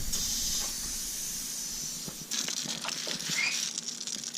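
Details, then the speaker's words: Nissan 240SX S14 with KA engine that stalls, boost leak test with intake pressurized to about 5–6 psi: sharp steady hiss of escaping air with bursts as pressure builds; leak at the intercooler piping. "all right so I got it set up here the gauge right there guys up ducks all juice push this and we'll pressurized assistant I can already feel air coming out of there"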